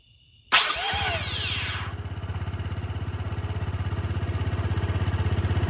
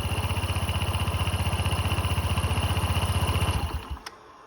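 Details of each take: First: Honda SH150i scooter at about 8,700 miles, after cleaning the starter. A sharp, rising starter whine, louder than before, then steady cranking. It spins fine; the owner thinks the whine is the starter itself, cause unconfirmed. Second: Honda SH150i scooter, about 8,700 miles, checked for starter whine: even idle about four beats per second, then winds down and stops cleanly with no whine at shutdown; healthy, owner still plans bench-testing the starter.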